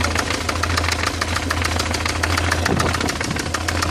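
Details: BMW E46 318i with M43TU engine: sharp metallic knocks, about three or four a second, over a steady idle; owner suspects the chain tensioner, internal engine knocking at idle.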